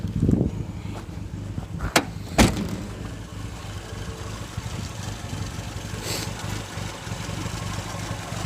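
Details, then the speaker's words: Toyota AE86 with carbureted 4A-C engine at idle, before a Seafoam treatment: low, steady idle with a faint unevenness and only slight lifter noise, no knocking. The idle tends to run high, possibly from a sticking throttle cable. Slightly rough idle. "So overall, this is a quiet running engine. You can hear it's a little rough on the idle. It's only a slight amount of any kind of lifter noise or anything like that."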